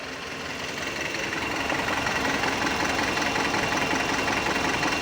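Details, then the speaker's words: Mitsubishi Canter Euro 4 diesel during a scan-tool injector cutout test: cylinder 1 disabled, idle turns uneven and lumpy, about 160 pulses a minute, then returns to normal; used to find faulty injectors. "ini bisa kita nonaktifkan secara satu persatu di silinder 1-4 kita cek ya rindu satu dulu nanti mesinnya akan pincang"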